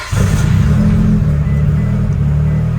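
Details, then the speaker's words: Built 2.2L Mitsubishi Evo 9 (42 psi boost, 8000 rpm limit) after harmonic balancer bolts snapped, running the refitted stock balancer: deep even engine note, no stumble or Subaru-like uneven sound, runs fine. "yep much better as you can tell the car is not sounding like a subaru sounds fine"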